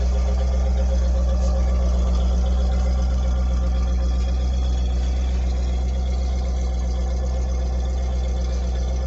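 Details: 1978 Ford P6 LTD (Ford Australia) barn find from a shed in regional Victoria: deep, steady V8 idle burble, even firing, no knocks or ticks; starts and runs well, engine sounds good, gearbox shifts nicely, no diff noises.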